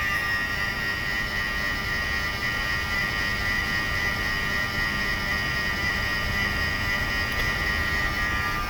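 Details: Mercedes V12 Egas system, ignition on, engine off: steady high electrical hum at one even pitch from a throttle actuator; normal, expected from both throttles, one slightly louder than the other.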